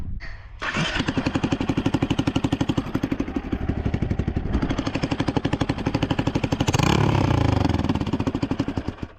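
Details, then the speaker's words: Motorcycle with the exhaust header cracked in half near the block: loud, raw chattering pops about four per second that sharpen with throttle; exhaust leak, possibly also causing backfires. "It's too loud. Sounds like your teeth are chattering. It sound Sounds like my teeth are chattering."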